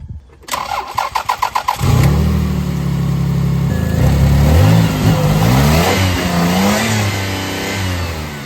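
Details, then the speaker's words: Toyota Highlander V6 after a new ignition coil was fitted to cure a misfire: starter cranks briefly, engine catches cleanly and settles into an even, steady idle; no misfires felt, normal start and smooth idle. "But yeah, she's running smooth, shifting smooth."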